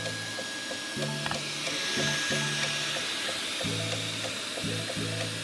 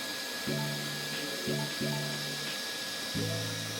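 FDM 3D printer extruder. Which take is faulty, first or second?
first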